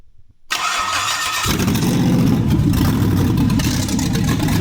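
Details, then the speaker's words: 5.3 LS V8 swap for a 1957 Chevy 3100 pickup, run on a minimal wiring harness, first start after correcting a backwards fuel pump: short crank, then a steady, even V8 idle with no knocks or misses. "There we go. Well, in it runs. What a relief. I had the fuel pump backwards."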